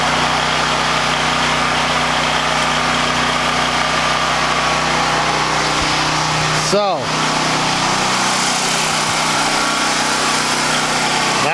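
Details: Harbor Freight Predator 9000 W generator at about 3,500–4,000 W house load while the big garage door opener runs: steady, even drone with no hunting or sag; carrying load normally.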